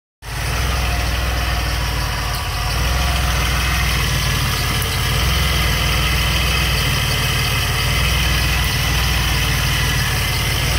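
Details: DeLorean petrol engine at idle: light ticking about four a second over low rumble, owner says from distributor; unidentified ticking.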